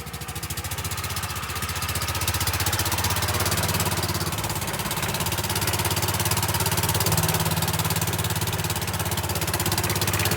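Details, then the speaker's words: Golf cart small petrol engine idling extremely loud and raw, with sharp popping exhaust pulses from a blown exhaust gasket at the exhaust pipe; fix is new exhaust gaskets. "will it start this thing is Extremely Loud right now"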